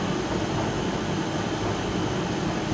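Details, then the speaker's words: Hoover/Candy tumble dryer after circuit board repair; motor starts and heater kicks in, with even whooshing airflow and constant motor hum, no rubbing or ticking, running normally. "the meter is still showing 0.7 motor starts and now it's kicking in the heat"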